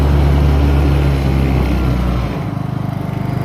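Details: Honda EU2000 inverter generator, first start after adding oil, Eco throttle off: strong, even engine note easing down to a steady, pulsing idle with no misses or knocks; healthy start and normal running.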